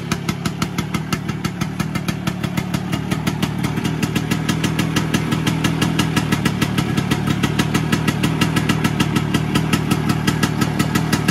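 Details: Vespa PX 125 with 177 kit, restored engine (new bearings, gaskets, piston, rings, lapped cylinder, first-gear parts), first start after a year on 2.5% mix. Quick, even two-stroke putter, about three pulses a second, no misses or knocks. Normal idle.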